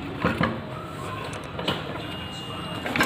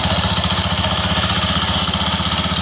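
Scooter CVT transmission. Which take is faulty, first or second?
second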